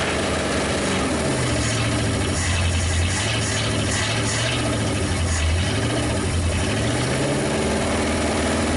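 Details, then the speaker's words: 1956 Studebaker Golden Hawk V8, first start after sitting, wired through a panel and compression untested: a deep rumble rising and falling with throttle blips, firing evenly with no misses; it revs quickly on all cylinders. "No real major issues that I heard. It revs quick. It was actually running on all the cylinders."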